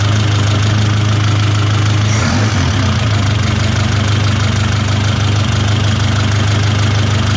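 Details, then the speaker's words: 1972 Toyota Celica 18RC engine with Weber 32/36 carburetor after valve adjustment: idle mixture screw backed out until it stumbles, even idle beat sags and wobbles briefly then settles. Lean idle stumble, screw then turned back in. "got a little stumble to it we go back in again in a little hit it might be a little bit too stumbling for me still"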